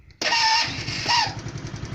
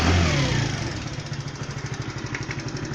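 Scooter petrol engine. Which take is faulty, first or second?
first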